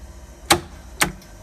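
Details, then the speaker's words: Abac screw compressor, Genesis controller run test, line contactor energised: two crisp, sharp clicks about half a second apart in a quiet room; contactor pulls in cleanly as it should. "hear that click in, you can't see it."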